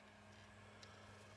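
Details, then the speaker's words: Lorex surveillance DVR after its failed cooling fan, which had caused overheating, was replaced with an old fan from a hard-drive enclosure: faint, steady hum and soft whoosh with no ticking or rubbing; the fan runs smoothly. "okay it's working again you can hear the fan blowing"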